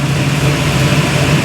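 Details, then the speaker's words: 1971 Chevy Nova V8 idling at about 750–900 rpm just after its mufflers were fitted. Deep, steady rumble with an even beat, no misses, knocks or exhaust leaks: normal idle. "See if she'll run. Sounds good. Don't hear any exhaust leaks."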